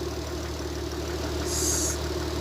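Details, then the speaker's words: Nissan Z32 (grey Z) at warm idle after repairs, aftermarket radiator cap fitted: steady idle with a faint, light knock under the even note, slightly knocky; possibly piston slap, unconfirmed, unexpected once up to temperature. "just a little bit knocky not all that happy with it does sound a bit like piston slap but you'd think once it's up to tent we shouldn't be hearing that"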